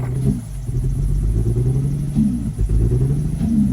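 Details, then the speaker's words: Nissan 350Z found abandoned in the woods, green coolant, smelling of straight gas, first start: cranked on its own without the key, then a low, lumpy, uneven rough idle; rough running engine. "it doesn't sound good it dude it cranked right up I did not touch the key and it just cranked"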